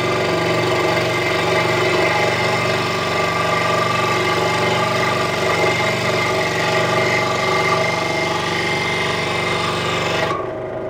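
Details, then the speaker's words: Central Machinery 16-inch scroll saw from Harbor Freight, cutting MDF at about half speed: a steady motor hum with busy chattering that strains under heavy feed, then stops; the wood had to be pushed hard and still tore out. Owner plans to change the blade. Labouring cut. "I think you get the idea of how hard I had to push the wood through the blade still got some tear out there"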